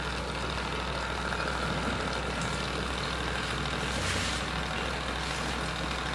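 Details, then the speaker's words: Household undersink RO water purifier booster pump running during the first flush after installation: steady low even hum with rushing water, no knocks or surging; running normally. "Ya, mesin sudah hidup ya."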